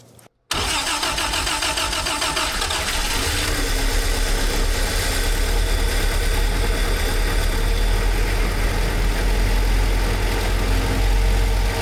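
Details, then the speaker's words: 1948 Willys CJ-2A cold start after fitting a true 5/8in D&D BX40 belt in place of an undersized 9/16in belt that slipped and left charging near 12 V: starter catches immediately and settles into a steady, even idle with no squeal or slip; 14 V afterward. "Được rồi. Xong rồi. Khởi động nguội nào."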